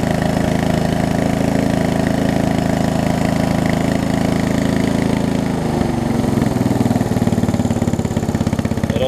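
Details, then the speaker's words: Murray widebody riding mower after sitting a few years, before the carb and fuel line replacement: it runs fast, then drops to an uneven, pulsing idle and struggles to stay running after a minute or two. Fuel starvation is suspected from constricted, seeping fuel lines. "You can hear it. Really having difficulty staying running after about a minute or two."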